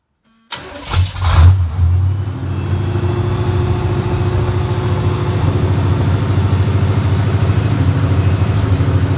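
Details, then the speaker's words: 1975 Laguna with a rebuilt small-block 400 V8 on open headers, first start after the rebuild and a neutral safety switch fix: it cranks, catches quickly and settles into a loud, steady, deep burble with no knocks; a normal idle. "sounds pretty good I think I need a few things on the just some vacuuming to try to figure out but first start it not bad"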